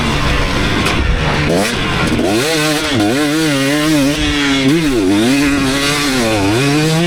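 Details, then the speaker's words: 2019 KTM 250SX two-stroke after tuning its Lectron Billetron 38 Pro carb: crisp revs rise and fall cleanly without hanging; detonation almost gone, maybe slight pinging when hot, so an eighth turn more on the torque jet may be needed. "oh all right so I think I really hit the sweet spot that last one pretty much no detonating anymore"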